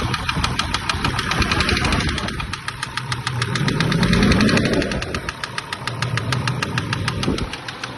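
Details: SsangYong Rexton II diesel engine that lost all its oil yet went another 700 km. A heavy, fairly regular knock of about three per second at idle, bottom-end in character and not the injectors; a hydraulic lifter is also mentioned. The cause is unconfirmed.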